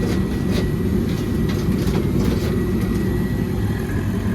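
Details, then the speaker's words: Commercial propane furnace/RTU in a property with multiple units not heating: heavy, rough drone with uneven rattly clatter instead of a smooth whoosh, sounding "funky". Machines likely from 2002; cause not pinned down. "it sounds a little funky let me see my meter"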